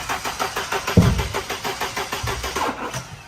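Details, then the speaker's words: Mercedes 190E Evo II replica build cranking after plug wires confirmed in correct order; steady cranking about five pulses a second with only odd weak catches, never firing properly, distributor rotor suspected. "yeah it's it's not firing [Music] properly"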